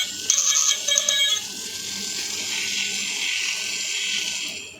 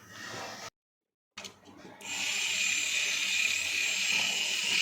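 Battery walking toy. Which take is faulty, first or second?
first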